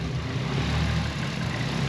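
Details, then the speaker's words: Freshly fitted 1JZ six-cylinder with stock cams in a JZX90 at first startup, oil pressure present, wideband reading a bit rich: steady, even low hum, constant speed, no knocks, misses or ticks; smooth, healthy idle. "Yes. Sounds super nice. Sounds very smooth."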